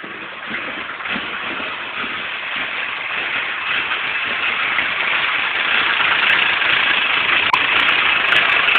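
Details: Nissan KA24DE engine with a rough idle: an uneven, lumpy pulse that never settles into a smooth rhythm, cause not obvious.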